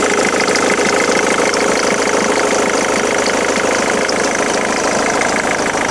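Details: Ford Mondeo MK3 2.0 TDCi diesel at idle: a steady idle with a fast, fairly even knocking tick on top, about three per second; abnormal engine noise, cause unclear.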